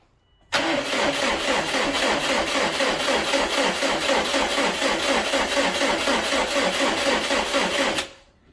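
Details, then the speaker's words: 2001-07 Subaru Impreza WRX STI 2.5L with the fuel pump relay connector unplugged to disable the pump: steady starter cranking for about seven seconds that never catches, no pump buzz heard, no fuel pressure, crank no start. "yeah I didn't hear any buzzer didn't hear nothing so there you go guys disabled the fuel pump no pressure no start"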